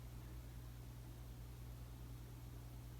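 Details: Casablanca 19th Century ceiling fan made May 2004, with all 4 blades at speed 6 (highest): steady low hum with soft rushing air, even and unbroken; normal, healthy operation.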